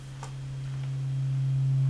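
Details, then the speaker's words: Marshall JCM900 amp, warmed up after a new socket was soldered in to fix low-volume distorted output: a clean, steady low test tone holds without crackle or dropouts and rises slightly; problem cured. "good there's the tone and we have cured that problem we've killed that problem"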